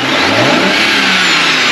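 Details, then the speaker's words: BMW 335i N54 twin-turbo, diverter valve rerouted, before the barstool mod: short clean free rev rising and falling smoothly, no whoosh or hiss on lift-off; sounds healthy. "Alright, that's it. Turn it off. So basically you didn't hear anything."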